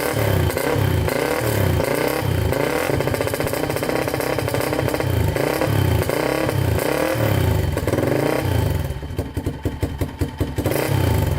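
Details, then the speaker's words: 2006 Polaris Outlaw 525 quad after carburetor cleaning (fuel screw found out about three turns); small engine putters and revs up and down cleanly with no stalling under throttle, no longer shutting off when moving forward. Normal running. "all right so this thing is running good uh the carb clean seemed to fix it so it wasn't shutting off when i uh went forward anymore so i think the carb clean was the issue"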